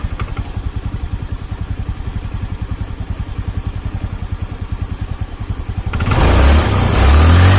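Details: Carbureted Honda Beat scooter after replacing the snapped CVT drive belt (V-belt kit) and cleaning parts; engine runs smooth. Even, steady idle about 214 thumps a minute, then a clean smooth rev, no rattle; normal idle and rev.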